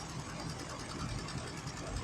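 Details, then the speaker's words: 1984 Dodge D150 Prospector V8 idling after sitting parked 20 years: rumble with a quick light tick, owner suspects a missing and broken top exhaust manifold bolt causing a manifold leak. "Sounds good. Sounds really good. Missing an exhaust manifold bolt right there. Broken on the top. Probably what the tick"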